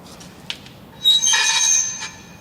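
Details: 2009 Toyota RAV4, high steady squeal with several piercing tones for about a second when the rear brakes are applied, before diagnosis and repair of the rear brakes.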